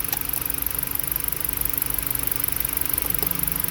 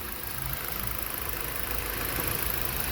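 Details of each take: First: Four-cylinder petrol engine idling roughly right after a newly installed PCM, with a steady misfire. Coils are unplugged one by one to find it. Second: Car after new PCM, misfire traced to a wrong replacement ignition coil and fixed: soft, even idle hum, no stumble or skipped beats; engine now healthy.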